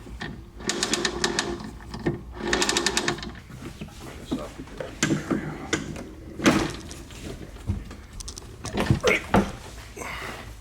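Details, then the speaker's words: Toro TimeMaster mower rear wheel spun by hand with the mower raised, after fixing the slightly out-of-round rear wheel: quiet, with only light gear-against-gear clatter and no more popping from the rear shield. "nice and quiet all we here is his gears against gear"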